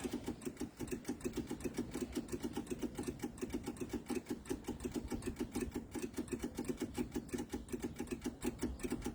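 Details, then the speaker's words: MEP-002A military diesel generator, rusty fuel from corroded tank: fast even ticking, six or seven clicks a second, as the electric fuel pump primes, sounding like air in it; pump clicking, bleeding air from lines. "so what we want to hear is we want to hear this the fuel pumps click that sound like it had a little ear in it that click a little bit"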